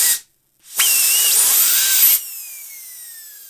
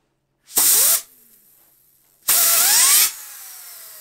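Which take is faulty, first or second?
second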